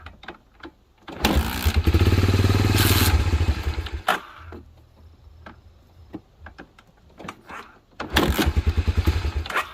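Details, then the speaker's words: 1987 Honda TRX250 Fourtrax ATV, sat about 10 years, temporary gas tank: single fires and chugs evenly at idle, then falters and wants to die when throttle opens; partly clogged carburetor jet suspected. "right when i want to give it throttle it's wanting to die"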